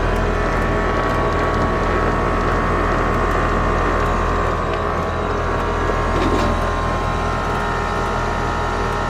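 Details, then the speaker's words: AC condenser on a no-cooling call, restarted after rewiring fan common to contactor with hard start added; compressor rated 19.9 A, fan about 1–1.2 A. Steady low compressor hum under even fan rush, no knocking or chatter: normal running. "Alright folks, now let's fire it up. See if we can get a better temperature differential."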